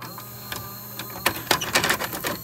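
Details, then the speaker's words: Philips SV2000 VCR with the older F9 mechanism: irregular light clicks and whirring as it loads and then chews the tape; turned out to be the common faulty mode switch. "I'm pretty sure it's going to eat this tape but this tape's been eating before so we'll sacrifice it"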